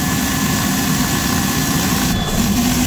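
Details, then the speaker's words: Boiler blower fan running: steady low droning rumble with a fluttering, papery rasp from a plastic sheet sucked into the air intake, choking airflow; sound changed after removal, then the burner was checked for incomplete combustion. "어 프 됐 뭐 비닐 소리 같지 자 쿵짝짝 쿵짝짝 들어갑니다 자 나옵니다"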